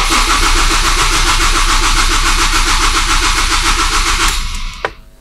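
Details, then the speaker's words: Ford ST150 Duratec on an aftermarket ME221/ME360/ME442 ECU, cranked with fuel and spark turned off to check trigger sync: steady, even cranking at about three and a half beats a second, then it stops cleanly; full sync at a steady ~215 rpm. "and there it was full synchronization with a steady RPM of about 215 so we now know the ECU is accurately tracking the engine"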